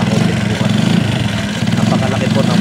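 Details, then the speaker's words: Rusi MP110 motorcycle after a cheap fix for a noisy, clattering engine. A steady, even idle with a soft carburetor hiss and no chain rattle, now smoother and less clattery than before the repair: normal idle. "talaga pong iba mas tumining po yung andar hindi na po siya ganon kamal lagatak yung naririnig niyo po na lagaslas pagka nandoon tayo sa harap e talagang lagaslas lang po yun ng ano sa karburador"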